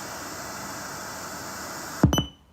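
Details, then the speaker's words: Sony SRF-M35 radio Walkman bought in 2001, switched to FM indoors: flat steady hiss with no station, then a few sharp clicks; no reception inside, signal found only outdoors. "okay let's change it to fm not be able to pick up something absolutely nothing"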